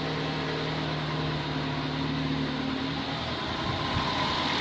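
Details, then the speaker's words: Nissan Sentra first startup after head gasket job, water pump and alternator not connected, run briefly: steady low hum with even beat, no knocks, misses or ticking; smooth, quiet, healthy idle. "oo look at that very first time it sounds really good too super"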